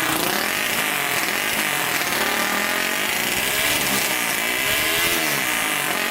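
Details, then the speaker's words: 1999 Honda 400ex quad, newly turbocharged, after adding a fuel pump and hooking boost lines to the carburetor: buzzy high-pitched single rising and falling through repeated revs, pulling cleanly without stumbling or popping, apparently making boost; an intake hole still needs patching. "sounds like it's making some boost running a lot better so i'm looking for any holes there's a hole right there we need to patch up but otherwise it's not running too bad"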